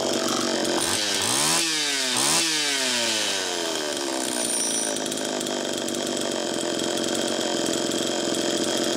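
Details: Allen's Super EZ two-stroke chainsaw with Walbro HDC carburetor, test run after carb rebuild: two quick blips rising and falling, then a steady even idle; runs healthy. Low side was too lean, slowing priming; crank seals likely fine.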